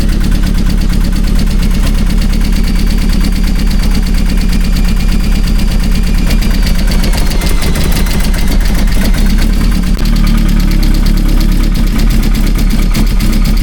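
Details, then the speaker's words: Vauxhall Astra VXR first start after cylinder head rebuild and big turbo install; loud lumpy idle with an uneven, hunting beat, owner suspects a vacuum leak, cause not confirmed. "It sounds like a vacuum leak or something"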